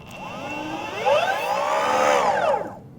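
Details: Boosted Mini X electric skateboard, each wheel held in turn: drive spins up and down with a layered whine and odd, uneven noise. Both wheels seem affected, with the left louder than the right.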